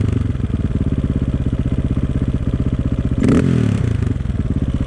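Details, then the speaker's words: 2004 KTM 450 EXC RFS four-stroke, sat 6 years, after carb fix, warm: fast even ticky idle, holds after throttle blip with slight hanging idle; idle or fuel screw adjustment suspected. "Nice ticky noise of this RFS engine."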